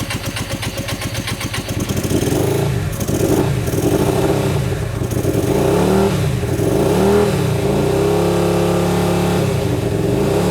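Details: Hyosung GT125RC first start after two years, with ultrasonically cleaned carbs, modified wiring and choke applied. Uneven, lumpy running with surging revs, as if only one cylinder is firing; cause unconfirmed.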